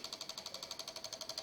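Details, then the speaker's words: Microsol NG2 voltage stabilizer (110–220 V input, 110 V output) powering a soldering iron: fast steady metallic clicking about nine per second as relays chatter and output voltage oscillates, LED blinking; faulty relay and swollen capacitor found. "Ó, mais uma vez, perceberam aí que ele tá direto batendo os relés, ó. Isso aí danifica muito os equipamentos, né?"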